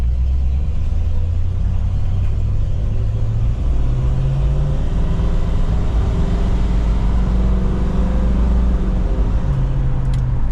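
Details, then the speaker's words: 1977 Jeep Cherokee Chief after new ignition and a rebuilt carburetor: a smooth, even low rumble with gentle revs and no misses or stumbles. Normal running, much better than before the repair. "all right we got the new ignition on this thing and rebuilt the carburetor so now we'll see what she'll do"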